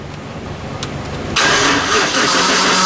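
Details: 5.3 LS truck, unrun for three years and on a new fuel system: quiet, then a harsh gritty roar as the starter cranks, sounding like a tired starter grinding rather than engaging cleanly; cause suspected, not confirmed.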